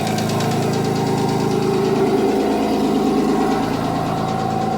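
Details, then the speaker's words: Audi 2.7T twin-turbo-powered Porsche Boxster, new forged engine, first start after engine work: light quick tick about three per second over steady idle; better than before, owner suspects slight piston slap, disappears once engine warms. "So it's better than it was, but it's still not great. I think maybe it's just a bit of piston slap. it goes as soon as the engine's warmed up a bit, so I'm not going to worry about it anymore."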